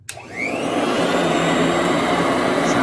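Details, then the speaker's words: 1991 Royal Model 882T upright vacuum after brushes were reinstalled; a steady even motor whine within half a second of switch-on, no surging or rattle, with strong suction; sounds completely different. "quite a bit different. Now it's on the floor. Probably one more click. There we go. Quite a bit of suction. It sounds completely different."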